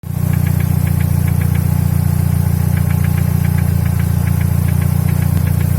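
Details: Mercedes W124 E200 with M111 engine: steady idle with a light, sharp, evenly spaced ticking knock three or four times a second from inside the engine; sometimes absent, mostly on a warm engine.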